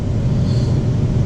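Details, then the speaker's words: Ten-year-old central AC compressor after a rubber-mallet knock to free locked scrolls. Sounds a lot better: steady low hum with an even drone, no knocks or rattles, 9 amps, on target; running smoothly. "sounds a lot better there we go 9 amps that's good it's pretty much raid on target"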